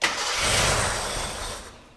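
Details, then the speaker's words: Gilbern Invader Mk3 one-owner barn find: engine catches with a brief ragged burst then fades within two seconds; fuel pump believed to be drawing air, so not enough fuel to keep running. Fuel starvation. "yeah it's drawing air from that and it's not getting enough fuel to keep it going very very close"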